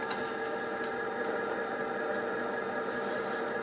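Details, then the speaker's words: E-bike geared hub motor running after repairing its controller's shorted MOSFETs; smooth, even whir with steady tone and no knocks or grinding; normal running. "включаем давай вот подвези редукторный мотор-колесо нормально работает"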